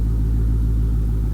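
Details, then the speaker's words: Dodge Hellcat (SRT) V8 revved for a loudness comparison with an '84 Camaro: deep, even rumble rising cleanly with no knocks, misses or rattles; healthy engine revving. "I'm feeling loss of hearing. Alright, she sounds good."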